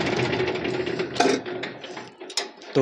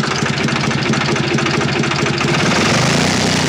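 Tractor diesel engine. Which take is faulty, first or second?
second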